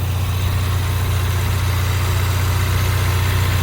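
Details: 2016 Ford Mustang EcoBoost direct-injected four-cylinder, which a shop said was bad, at idle. Smooth, even low idle with a steady pulse about three beats a second and no knocks or misses: a healthy engine.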